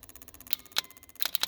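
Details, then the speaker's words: Ford 7.3 Powerstroke with hard cold start: glow plug relay manually grounded with test lead, crisp relay clicks heard; relay switching normally, though no ground signal seen to one side, possibly not cold enough. "all right so I can hear that clicking and if I rest my tester there right"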